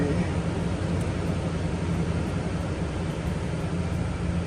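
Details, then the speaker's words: Toyota Tundra after alternator replacement (battery not charging): battery light out instantly on start; steady even low rumble, no knocks, ticks or whine, smooth healthy idle. "Let's go ahead and start her up. Moment of truth, guys. Battery light gone instant. We're all good, guys."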